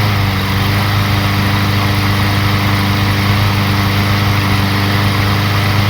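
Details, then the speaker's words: Craftsman lawn mower, about a year and a half old, that wouldn't start (very low compression, no carburetor suction, suspected stuck valve) now running after carburetor refit: steady, even single-cylinder drone, a little noisy but healthy, left to warm up for an oil change. "was a little noisy but I can't believe the stupid things are running you can still hear it out there I'm going to let it run for 10-15 minutes to make sure it keeps running"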